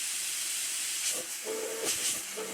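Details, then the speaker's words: Cleveland steam safety valve after a smaller ball was fitted to cure its annoying noise. A steady, clean rush of steam with no singing or fluttering tone; the valve now lifts and blows off properly. "All I had to do with the Cleveland steam safety valve was fit a smaller ball in it, and it stopped making a noise and it blows off perfectly."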